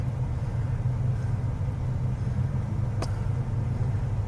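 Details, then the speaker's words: 2000 Chevrolet Cavalier with three-speed automatic, idling rough with a deep, lumpy, stumbling thrum from a cylinder misfire; check engine light flashing, raw fuel risking catalytic converter damage; cause being diagnosed. "okay so we're working on a 2000 Chevy Cavalier with a misfire and the engines really running rough"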